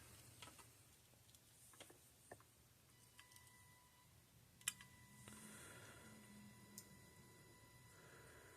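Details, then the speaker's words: Parmak Magnum 12 (Mag 12 UO) electric fence charger with rust and corrosion from water getting in, powered from a supply: faint, sparse, regular pulse clicks, gauge in the green, about 7,500–8,000 V output; it is pulsing normally. "on so far so good I can hear it clicking see what the gauge shows on the front scared me gauge is in the green I see it's working fine there"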